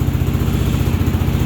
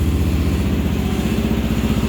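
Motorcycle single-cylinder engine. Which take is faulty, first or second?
first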